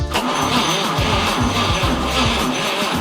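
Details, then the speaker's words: 1947 Chevrolet Fleetline engine's first start attempt, fuel poured in, spark tester on cylinder 1: slow, even cranking at about two beats a second that tries but never catches; cranks, no start. "That was trying to start."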